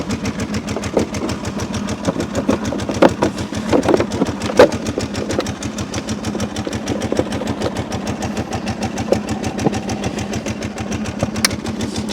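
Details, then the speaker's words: Kawasaki V-twin (three timing chains plus an oil chain) idling with a steady, fast light metallic ticking; about 90% sure it is just chain noise, not confirmed. "Now, when I first heard it up, I was a little nervous because you can hear some noise in here. But I've dealt with enough of these Kawasaki V-twin engines to 90% sure that it's just chain noise."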